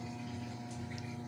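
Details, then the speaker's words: Brastemp Ative 11 kg washer on rinse at low water level, not washing or spinning: low steady mains hum with water gurgle and no drum movement; it only makes noise. "ela não não faz nada só fica faz um barulho entendeu nesse momento tá para enxaguar ela fica t e não funciona ó fica só assim ó"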